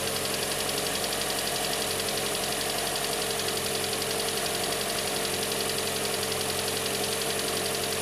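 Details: Kia Sportage 4 at steady idle: rapid, fairly even knock about three per second over a hissy background; engine knock, cause unknown.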